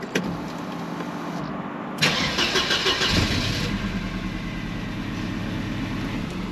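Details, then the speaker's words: Mercedes W124 220CE, after a crankshaft position sensor replacement, restarted hot after stalling; it cranks, catches, stumbles and runs rough and uneven; hot-restart fault persists, cause still unknown, and the sensor was not the fix. "and now if i try and start her again it looks like when she comes up to temperature this is where now she won't start again"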